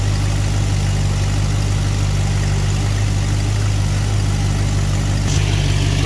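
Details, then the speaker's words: Engine idling at about 1° initial advance with the vacuum advance port plugged, before advancing to 12°. Deep idle with a lumpy, uneven beat rather than a smooth purr; rough idle from retarded ignition timing. "so if you look now we have like 1° in and it started so it's kind of almost so we're going to add some to it"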